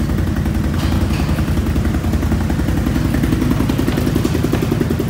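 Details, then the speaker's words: Once-flooded 2020 Can-Am XMR 850 after fluids flushed, in neutral: quick, even throttle blips firing crisply with no stumbles or misses, sounding like a race quad; normal revving. "Thanks sounds straight-up like a race quad or something"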